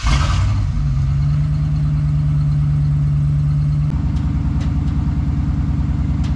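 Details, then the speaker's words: 1992 Ford Bronco 5.0-liter (5 liter) V8, runs but doesn't drive, transmission and transfer case without fluid, left in neutral: starts and settles into loud, choppy open-pipe burble with deep pulses; no exhaust fitted. "so we're gonna fire up real quick it's a little bit loud there is no exhaust on it so let's see how this whole 5 liter sounds"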